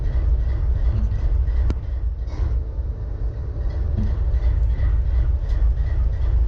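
A deep, steady diesel rumble at idle with a slightly uneven beat underneath, pointing to a cylinder misfiring.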